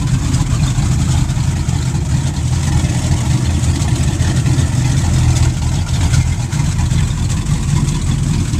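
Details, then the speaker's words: Twin boat engines idling at the dock, heard walking from front to back of the boat: deep even burble with no misses or knocks, smooth healthy rumble from the stern. "I just want to give you more shots with both engines running you can hear them running"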